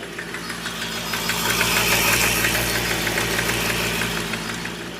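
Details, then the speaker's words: Hyundai Xcent diesel, 1.1/1.2 L replacement engine with knock and turbo noise: accelerator sticks and the engine races by itself at high speed with a steady hard knock about three per second, smoking heavily. "ये भाई साहब इसका accelerator फंस गया अपने आप देख low smoke कितना कर रही"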